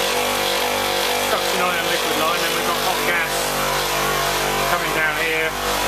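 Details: Copeland ZB42KCE scroll compressor on a milk-tank condensing unit, warmed up: steady loud hum with buzzy, rattly edge, rougher than healthy; after restart it pumped but noisier than it should, then noise changed and pumping appeared to stop.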